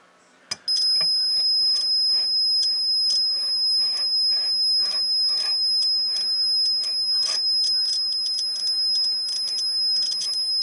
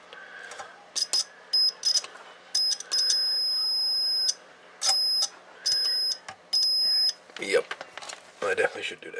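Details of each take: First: Buzz test on a T-match antenna tuner roller inductor: a steady buzz turns scratchy and spotty as the roller travels along the coil, revealing poor roller-to-coil contact; more noticeable when moved slowly. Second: Homebuilt T-match antenna tuner, multimeter continuity test of the case cover grounded through two screws: a string of steady high-pitched beeps, each up to about a second as the probe touches; continuity solid, case grounded.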